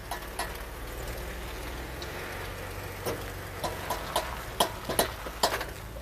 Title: Jeep clicking noise while turning in 4WD